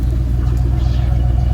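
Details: 1994 Cadillac DeVille after power steering pump and lines replacement, heard at the rear in rain: steady, even low tailpipe rumble with no misses, puffs or rattles; exhaust healthy at smooth idle.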